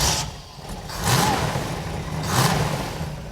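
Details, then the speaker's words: Crate Camaro with new, never-fired GM ZZ4 small-block V8, Edelbrock Performer RPM manifold, 600 CFM carb, block hugger headers: first start settles into lumpy idle, two clean throttle blips, no tapping or knocking, no leaks; solid. "It's alive! Underneath, I found no leaks. All the gauges are working, and to top it off, the engine sounds solid."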